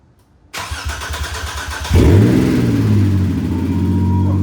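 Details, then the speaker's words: Newly assembled and installed replacement motor, first start: about 1.5 seconds of cranking, a couple of stumbles, then it fires into a rough, loud fast idle; check engine light on and smoke smelled underneath. "First crank. It just stuttered like twice and then it went up."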